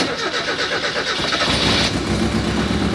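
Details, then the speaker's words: Barn-find Mazda Miata sitting 3 years, with fresh gas and battery: rapid cranking about four beats a second, then engine catches and roars into rough running note; catches after extended cranking, fuel pump suspected slow priming. "there we go she's on it started huh that's kind of crazy gas and a battery"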